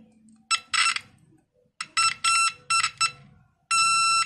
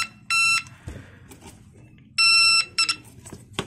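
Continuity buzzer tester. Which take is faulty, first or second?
first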